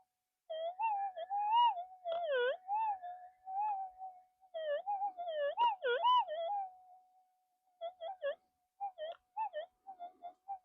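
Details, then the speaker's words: AlgoForce E1500 metal detector with an 11" coil calibrated, gain set at 28: a steady hum breaking into irregular warbling chirps and squeals. This threshold chatter is too much; gain 25 sounds acceptable. "yeah still I got the gain up at 28 it's going to be a bit chirpy still"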